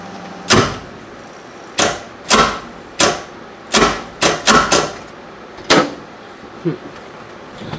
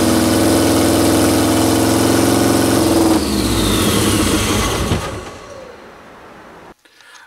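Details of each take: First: 1973 VW Super Beetle with Subaru EJ255/EJ251 hybrid swap, alternator power wire disconnected, battery pack attached; starter clicks irregularly but doesn't turn the engine over; plan to tap starter with a hammer. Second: 1973 VW Super Beetle with swapped Subaru turbo engine (EJ255 short block, naturally aspirated heads): runs steady and even about five seconds, then switched off and winds down quietly; smoky exhaust, battery reaching about 14.5 volts, charging fine.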